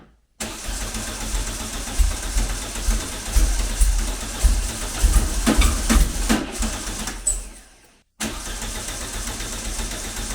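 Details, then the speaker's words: Classic VW Beetle with EFI conversion, after fixing a backwards-installed fuel pressure regulator, not yet warmed up and still being tuned: low, loping idle with slightly uneven pulses, exhaust fan audible; better but still not perfect. "Still not perfect, but it's ticking [Music] over."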